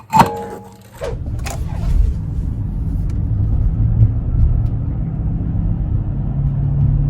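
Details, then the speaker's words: 2004 Chevy Trailblazer LS EXT 4x4, 4.2L six-cylinder, driving on the spare tire: low, steady hum and slight vibration changing with road speed from the front passenger side; tire ruled out, worn wheel hub bearing suspected, hubs replaced. "okay so that test driving session just proved to me that it's definitely not the tire with the hum and the slight vibration changing with the speed of the vehicle i'm really suspecting that it is the wheel hub"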